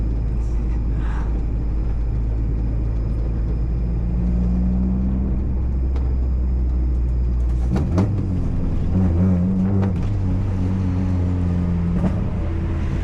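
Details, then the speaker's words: Modified Honda Civic while driving: low drone with stumble and popping as throttle opens, misfire on pressing accelerator and some power drop; ignition coil fault suspected. "വണ്ടി missing ഉണ്ട് കേട്ടോ. ഇടക്ക് നമ്മൾ ഇടക്ക് കാല് കൊടുക്കുമ്പോഴാണ് missing വരുന്നത്."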